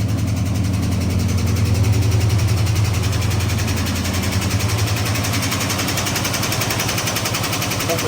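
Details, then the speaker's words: 1970 Dodge Charger V8, converted from automatic to 4-speed, first startup, on an electric fuel pump and a jug of gas, carb untouched: a light, quick, steady lifter tick over the idle, a sticky lifter, no misfires. "Good on the back. It's a light lifter tick."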